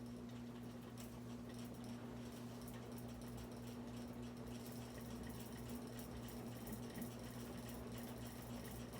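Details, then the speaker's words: Harbor Breeze Armitage 42-inch ceiling fan on high speed: steady motor hum with a fast, light buzzy rattle throughout as the globe chatters; less rattle when held. "I'll show you high speed again you'll hear how it rattles cuz that's what scared the Christ at"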